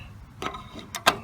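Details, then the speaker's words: Commodore dual floppy drive, basement-stored, first power-on in perhaps 30+ years, phone held close: a few short sharp clicks and chatters as heads step on power-up; sounds like a healthy drive. "oh yeah that's the sound of a happy drive or at least somewhat happy i don't know if you could hear the chatter"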